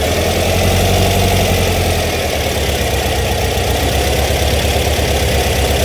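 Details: VW Beetle air-cooled flat-four rebuilt over about 1.5 years, roughly 200 miles since; idles really low once warm: slightly lumpy cam rumble at idle, regular firing, no tapping or knock, picking up at end; healthy.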